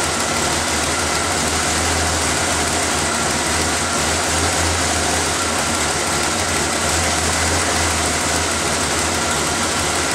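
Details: After refitting the intake's vacuum lines, air filter and cover, the engine is started to listen for hissing air leaks: an even low hum under room noise, with no leak hiss or misses. Idle is steady and normal.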